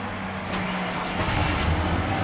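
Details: 1992 Ford F-150 5.0 L V8 with a used eBay throttle body; TPS code set, truck stalls on start, so throttle is held just above idle: low rumble lifting slightly as gas is fed, stall-prone idle.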